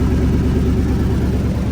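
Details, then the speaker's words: Truck that sat for years, now running and driving; exhaust rusted out, rough loud idle with a deep puffing rumble and no clean exhaust note, gas escaping from the rusted-through pipe; exhaust leak. "It's running. Exhaust is rusted out. Right there."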